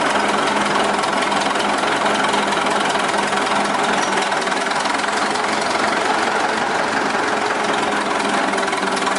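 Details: 1926 Twin City gas engine in a Northwest 105 dragline, running: rapid, regular hard knocking under a dense clattery roar; rod knock that needed fixing before it broke through the block.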